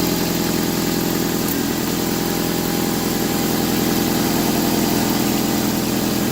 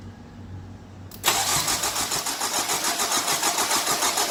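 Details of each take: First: 2003 Nissan 2.5 replacement engine on its first start after a dry crank, rough idle with a fast puffing tick about three or four a second; exhaust leak, gasket suspected bad or flange needing tightening. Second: 2003 Nissan 2.5 replacement engine, coils unplugged to prime oil pressure, jump pack attached: steady, unbroken cranking about three and a half turns per second with no firing; normal cranking without ignition.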